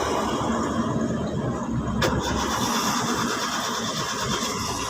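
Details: Hyundai 3-cylinder car, long-standing no-start, third attempt after key-on fuel pump priming: starter cranks steadily five seconds, never catches or fires; no fuel due to failed fuel pump assembly.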